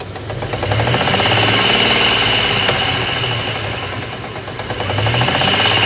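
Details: 2002 Dodge Ram 1500 with a 3.7 V6 idling with a steady sharp knocking or popping about three beats a second over the engine hum; the owner cannot figure out the cause.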